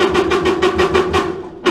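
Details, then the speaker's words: Stacked clothes dryer that dried poorly and was noisy. A drum-support idler pulley, spun by hand with the drum weight off, gives a quick regular clatter of about six knocks a second, slowing as it coasts: worn, bad idler pulley needing replacement. "Your dryer sounds like that, it's an idler pulley that's gone bad."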